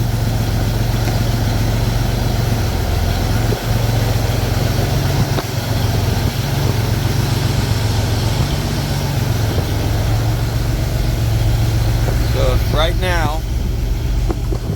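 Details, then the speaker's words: Pontiac Fiero after A/C recharge: steady, even idle drone with no compressor cycling; vents blowing just above 40°F on a ~70°F day, normal efficient operation. "the system is now running efficiently it's not um it's not turning on and off"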